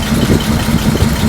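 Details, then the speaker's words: 1941 Chrysler flathead six coupe, revived after sitting, running on 87 octane with no choke: low, slightly uneven idle with a rocking lope, shaky rough idle; oil pressure shows on gauge; owner notes old ignition wires, cause unconfirmed. "It is shaking, but you know, after 30 years, yeah, you'd be a little shaky, too."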